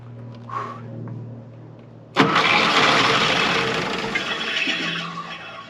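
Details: 82-year-old Ford GPW WW2 Jeep dormant since about 1965, first start with fuel from a new fuel pump and a rebuilt carburetor: quiet lead-in, then the engine catches sharply and settles into a steady, busy run. Engine starts and runs.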